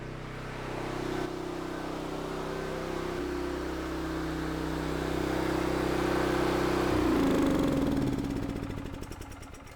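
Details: Mi-T-M 4000 PSI pressure washer, Honda small single-cylinder engine, pull-started on choke after a valve adjustment (camshaft had been suspected): starts and settles into a steady, even run with no knocks or misses, then winds down at shutoff.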